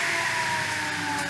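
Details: Table saw after a temporary repair of its cheap switch, which popped: steady high motor whine with a clean, even tone and no grinding or rattle; motor running normally.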